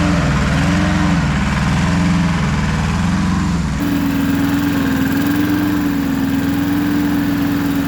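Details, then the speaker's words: Neighbor's roughly 40-year-old Japanese Hinomoto two-cylinder diesel tractor, test run after sitting for years, now with a new starter and ignition. It settles into a steady, even beat and holds it after a small speed change: runs real good, clean and healthy. "Wow. Okay, that runs real good."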